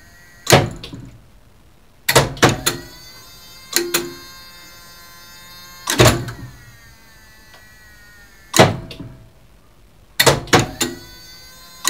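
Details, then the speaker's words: Elevator mock-up run by an original relay controller for a two-speed licensed lift, the cabin stopping at every floor; sharp, consistent bursts of relay clatter at each stop, with the position-memory relays keeping track of the floor, working normally. "It should stop at everyone stop. So let's listen to the relays clatter."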